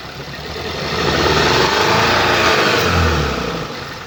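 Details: 2014 Skoda Octavia RS, 1984 cc petrol CHHB, 162 kW/220 PS, 196,743 km: uneven, lumpy running instead of a smooth idle. Cylinder 3 misfire from a defective ignition coil and spark plug.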